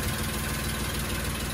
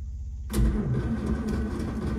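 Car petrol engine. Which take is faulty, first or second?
second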